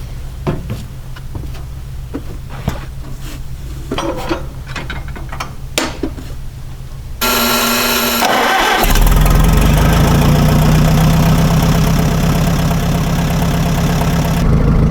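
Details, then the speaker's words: 1961 Oliver 550 tractor after cleaning the Marvel Schebler carburetor, old bad gas still in it: cranking with uneven catches, then runs on a low rough beat, rising unevenly; hesitates on throttle. "doesn't seem like it takes throttle the best but it does run"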